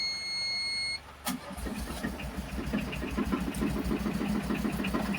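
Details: Tata Ace Gold diesel that stalled and wouldn't start, after replacing the water-damaged ECM board: short warning beep, quick crank, catches at once and settles into a steady, even idle; water-in-fuel light on; normal start.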